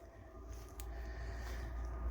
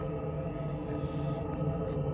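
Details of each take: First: Truma Combi D6E Gen2 diesel heater in a camper: only a soft, low steady hum and faint whoosh, very quiet and even; heater running smoothly with a well-muffled exhaust, normal running. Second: Truma Combi D6E Gen2 diesel heater in a camper, not yet at full power, run with an open exhaust after the original gas exhaust pipes were kept: steady loud droning hum with low throb heard inside; too loud without a silencer.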